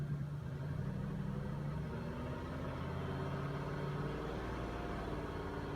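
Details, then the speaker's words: 2005 Cadillac DeVille misfiring badly, likely on one or two cylinders, after a cam sensor/PCM relay reset: low, uneven idle with an irregular thump, still running rough; owner later hears a vacuum leak. "let it sit for a moment we'll try it again it's still thumpin next thing you want to do if it's still running rough"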